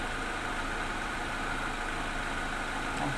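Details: Toyota Soluna (orange turn-signal corner model) with a no-start fault: no power reached the spark plugs, traced to a failed EFI relay. After the relay was replaced the engine starts and settles into an even, unbroken idle with a steady low drone and no misfires.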